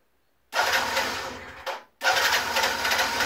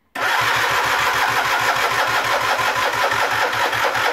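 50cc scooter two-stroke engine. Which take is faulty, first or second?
second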